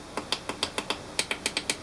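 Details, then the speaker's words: 30cm WordClock frame push buttons pressed while screwed in place before soldering: about a dozen crisp, sharp clicks show the buttons are aligned perfectly. "that tells us that the buttons are actually lined up perfectly"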